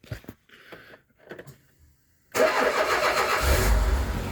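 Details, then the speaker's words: Renault Espace 2 (1992) 2.2 petrol, first start after timing belt and tensioner replacement without water pump fitted, quick catch into steady even idle, slight ticking attributed to rocker arms; normal start and idle. "Voilà. Pas de bruit anormal. Bon, il n'y a pas de pompe à eau, donc il ne faut pas laisser tourner. On entend un petit cliquetis, mais c'est les glubuteurs, ça."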